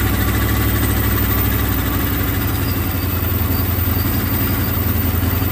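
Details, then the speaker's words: Procharged 1996 Mustang GT with EGR ports open and the header rusted through underneath: a loud, lumpy V8 idle with a raw, unmuffled chuff and uneven pulsing. Exhaust is escaping before the mufflers, suspected. "So it's going to be very loud. It's not going to sound good, but I at least would like to see if the engine runs better."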